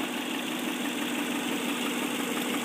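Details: 1997 Subaru Legacy Outback at idle, noise present about 50,000 miles: light, regular ticking knock in time with the engine; owner suspects connecting rod bearing, kept at bay with good oil and STP; unconfirmed.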